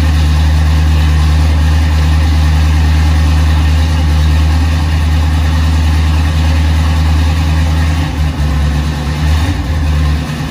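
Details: 1976 Chevrolet K10 Silverado V8, after NP205 swap, rebuilt transmission, new Warn locking hubs and kick-down cable leak fix, recorded outside in wind: deep, smooth steady rumble, no ticks or knocks; running well.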